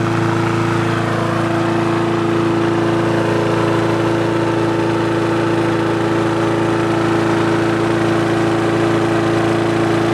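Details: Free push mower that wouldn't start, after the carb was cleaned, its diaphragm and gasket replaced and a spring replaced: the single-cylinder engine holds a steady drone with a clean firing beat and no misses or surging. RPM is adjusted via spring tension; running properly.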